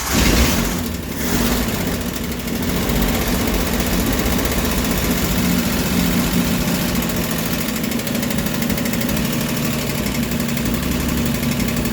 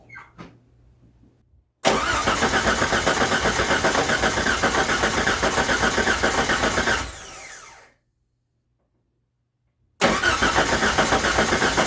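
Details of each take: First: 1989 Jeep Wrangler YJ, carbureted, first run after 12 years sitting, with a new starter and battery: engine catches and settles into a steady, even idle with no misses or knocks; owner thinks old fuel in the lines needed flushing. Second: 1989 Jeep Wrangler YJ, first start after sitting 12 years in a field: starter cranks evenly at about 4 pulses/s but it never catches; cranks, no start.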